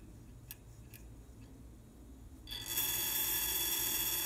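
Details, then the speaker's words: Trane heat pump outdoor unit right after compressor shutoff; sparse ticks then loud hissing chatter lasting 20-30 seconds from the TXV bypass liquid-line check valve, owner suspects refrigerant backflow making the ball valve chatter. "okay just shut the unit off and you can hear that noise so that's the check valve apparently refrigerant is kind of coming back causing this check valve to vibrate"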